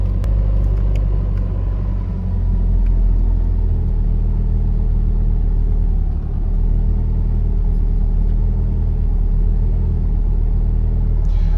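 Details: 1992 Nissan 240SX S13, SR20 swap, restarting right after plugging in an air-fuel ratio sensor had killed it; catches and holds fast steady idle with constant low drone. High idle, cause unconfirmed.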